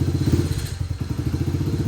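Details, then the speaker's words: Honda CRF70 after air intake install and emissions delete, once warmed up from a cold start: small single thumps along at a quick, even idle with a deep exhaust note; running properly. "This one's a little cold. It's gonna need a minute to warm up. There we go. Now it's awake."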